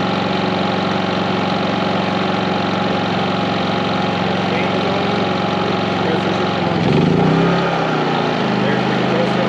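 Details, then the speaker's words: 4500 W generator on a 30 A RV plug running 15,000 and 13,500 BTU RV air conditioners fitted with soft starts; steady drone with a brief low surge as a compressor kicks in, settling smoothly without bogging; normal load pickup. "transition of the compressor is kicking in so much smoother um you don't hear"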